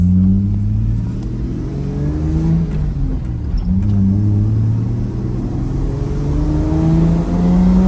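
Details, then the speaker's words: Toyota LandCruiser exhaust before fitting Pacemaker extractors, from clips of previous trips: a deep, even exhaust note rising and falling cleanly over several revs, with no popping, ticking or leak hiss. The exhaust sounds healthy. "I've just realized that I forgot to do a before shot for what the exhaust sounds like. So, I'll pop a couple clips up uh from previous trips. It sounds pretty much the same as it did then."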